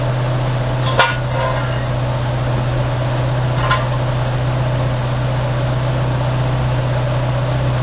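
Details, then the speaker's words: Toyota AE86 4A-GE, warm engine idling after the raccoon-damaged radiator was replaced with a new one, cooling fans switched on: smooth steady idle, low hum, even fan whoosh, a couple of stray handling knocks; normal warm idle. "So I'm gonna put that on. We'll kick on the fan, so you should be able to hear them, and then we'll put the car down and check it out."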